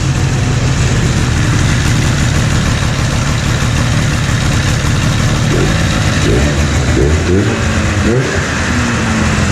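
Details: 1997 Ski-Doo Formula 500cc two-stroke snowmobile idling indoors after sitting 5+ years, with carbs cleaned and new intake flanges; hot grips and thumb warmer work. An even, steady burble with no misses or knocks; idling well.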